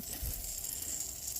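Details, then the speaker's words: Rad Power Bike tire with 3-year-old Slime sealant, new flat, tube inflated to find the leak: soft steady hiss with faint wet crackle as air and sealant bubble out the puncture, stopping and restarting as the old Slime tries to plug the hole. "What's interesting is you can hear it trying to plug the hole. Hear it? It stops and then it runs some more. So even the old slime is acting to repair it a little bit."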